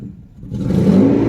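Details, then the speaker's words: 1992 Mercedes 600SEL V12, about 148,000–150,000 miles, first start after sitting for years: engine picks up from a low murmur, then revs dip and choke briefly under throttle instead of rising cleanly; hesitation on acceleration. "This is the very first start after sitting for a while. See, it has this like a dip when I try to accelerate."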